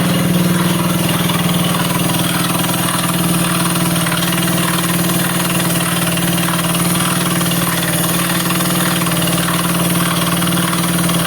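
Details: Honda CBS engine at steady idle: fast, uneven ticking over a low even hum; abnormal engine noise, cause not clear.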